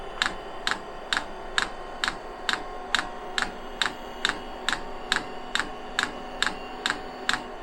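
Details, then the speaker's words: 5 kW all-in-one 12 V diesel heater on pump diesel, first start with unprimed fuel line: dosing pump ticks a bit over once a second over soft fan hum, then heater stops; owner thinks it was a failed start, cause unclear. "i'm stopped for some reason so that might be a failed start because"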